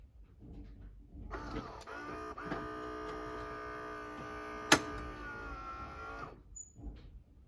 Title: Gaggia Brera squeaking sound while brewing